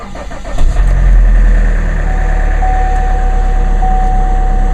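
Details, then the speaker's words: Diesel car in sleet, sitting since Saturday, one glow plug cycle: short crank, catches within a second, then a steady, even diesel clatter at idle; normal cold start. "start it up and no problem."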